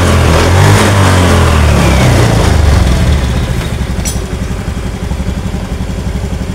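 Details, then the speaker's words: Honda Scoopy ESP scooter after engine split and repair of rough hum: revs then settles to a steady, even idle with a smooth beat, no hum or knock, clearly changed from before the fix. "Oke seperti yang kita dengar sama-sama untuk suaranya di sini sudah ada perubahan ataupun sudah berbeda dengan di awal sebelum kita tangani"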